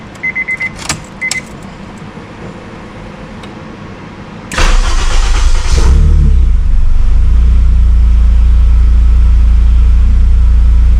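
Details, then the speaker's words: Honda S2000 K-swap without idle air control valve, solenoid valve added to hold idle with AC: first cold start of the day, AC off, about 800–900 rpm; chimes, short crank, then an even, steady idle with no misses. "So, the AC is off right now. As you can see, my RPM is roughly about 8 to 900 RPM on the cold start idle swarm."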